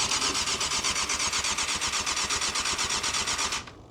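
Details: 1998 Yamaha YZF600R Thundercat that sat since 2013: steady, fast starter chatter for about three and a half seconds, then it stops; engine turns over (not seized) but never catches. Owner suspects fuel shut-off valve position; not confirmed.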